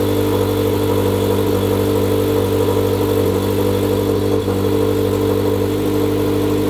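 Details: Turbo Subaru BRZ first start on the stock tune, awaiting a custom tune: uneven, lumpy idle with a wavering drone and no steady beat; owner blames the rough running on the stock tune; smoke believed from the turbo blanket.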